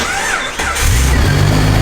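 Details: Jeep 4.0L started on a Costco Type S battery jumper pack with a dead battery, lights and blower on, start number 3: short crank, then catches and settles into a steady, even idle, a clean start.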